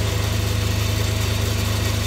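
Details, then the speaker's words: Myford ML7 lathe during restoration, saddle and slides power-fed toward the chuck through the change gears, which have only old engine oil on them: a steady low hum with an even throb and no knocks or grinding. Running normally. "Engage The change Wheels but that's working fine I'm quite happy"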